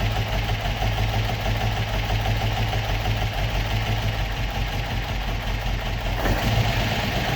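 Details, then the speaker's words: Opel Manta hatchback with Ascona front end, after about 20 years stored, still on old plugs; ticks over on its own at a steady, even low idle with no stumbles: normal idle. "so there we go but that sounds like a bit of a beast Happy Days"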